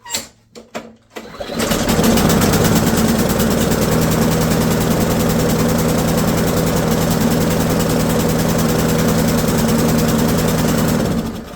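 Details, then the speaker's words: Briggs & Stratton L-head 190cc (6.75 ft-lb) mower engine with auto choke, no primer or throttle: after a few pulls it fires into an uneven, rich, loping chug about four beats a second; auto choke stuck closed. "So, you can hear it's it's chugging. Chug chug chug chug chug chug chug chug chug chug. And that's the sound of a stuck choke."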